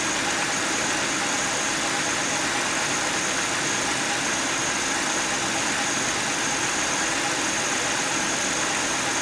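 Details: 2009 Buick LaCrosse 3800 Series III V6 idling: steady high-pitched whir and gritty hiss from a bad water pump bearing.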